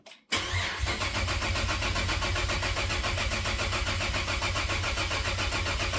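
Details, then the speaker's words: 2013 Cadillac ATS 2.0T being swapped to ATS-V engine, first start attempt on a nearly dead battery: starter churns about four turns a second without catching; owner suspects air in the direct injection fuel system. "that's what happens when direct injection fuel systems full of air"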